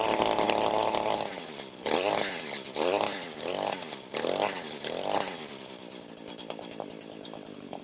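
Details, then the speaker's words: Echo SRM 225 two-stroke string trimmer that wouldn't start, oil-leaking after a shop repair, in a no-tools crankcase air-leak check; high-pitched buzz revved in short clean bursts with no appreciable RPM drop, so no air leak found. "Okay, if you can hear me, the sound I'm looking for is any sort of appreciable decrease in the RPMs, and I have not heard that."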